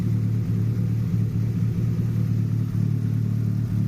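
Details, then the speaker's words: Nissan Pulsar GTI-R after the issue was fixed, warm after about 5 minutes: low, steady, even idle with occasional soft exhaust pops and smoke rings; owner unsure if a slight misfire; normal idle. "But at this point she seems no too bad. Certainly that was the issue."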